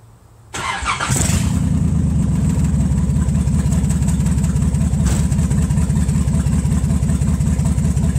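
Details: Nissan Z31 after rewiring the fuel injector firing groups to pre-recall to chase a misfire: short crank, then a fairly steady idle with no obvious stumble, though a light misfire can't be ruled out. Engine start and idle.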